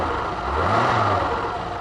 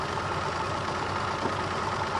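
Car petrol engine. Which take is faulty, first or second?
second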